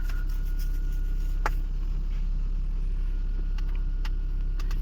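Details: 2011 Toyota Prius after replacing the ignition coil for a P0301 misfire code, code and check engine light cleared: smooth, even low hum with no skips or stumbles; now runs cleanly on all cylinders, normal idle.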